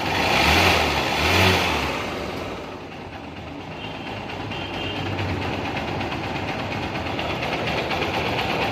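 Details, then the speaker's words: Supremo after replacing a soft part with a firmer one (engine had been noisy since an oil change): after a brief rough burst it settles into a steady, quiet idle with no knock or rattle. Quiet again. "Okay na sir, wala na. Tahimik na ulit."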